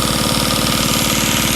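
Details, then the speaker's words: Antique sewing machine freed up with WD-40, original motor with a cracked worn belt: quick, even clatter of about fifteen ticks a second with no binding. The mechanism and motor run freely and normally. "I can't believe the motor still runs just good you can even hear them over"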